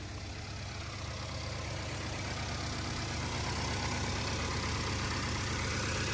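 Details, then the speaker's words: 2015 Ford Taurus, 130,000 miles, direct injection engine at idle: steady idle with light even top-end ticking about three and a half per second; normal direct-injection injector tapping, no dash lights. "that noise that you hear on the top end is a noise that they're supposed to be making this is a direct injection uh car so direct fuel injection uh on on all of them they just make like a tapping noise on the top it's completely normal"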